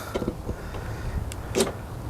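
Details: Honda Civic fuel door actuator after replacement, locking with the car parked: a few short, soft clicks with no buzzing or grinding; the loud buzzing on locking, traced to a dirty part, is gone and operation is normal.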